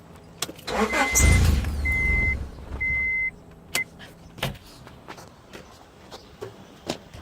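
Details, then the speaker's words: 1994 Honda Accord: starter cranks hard for about two seconds with a chime beeping, but the engine never catches, even with starter fluid sprayed in. Cranks, no start, cause unknown. The owner thinks the fuel pump can be heard working. "hey guys what's up have a 94 quart it cranks but it won't start I even have starter fluid"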